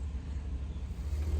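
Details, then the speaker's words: Rolls-Royce V8 warmed up after an ignition-cutout failure to proceed (later replicated by pulling the headlight switch): low, soft, even idle rumble with no knocks or misses, with the fuel pump audible; normal warm idle. "It's running like clockwork now. And now she's warmed through a little bit. She sounds lovely."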